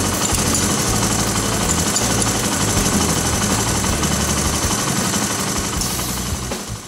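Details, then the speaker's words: Honda ATC/TRX/XR 185/200 single-cylinder at idle: fast metallic clatter, about four hits a second, as the cam chain tensioner is pushed down, showing a slack cam chain; stuck tensioners common, fixed by pulling tensioner up and jamming bolt. "So listen real careful when it's idling. You'll hear that chain go to rattling when I push that tensioner down."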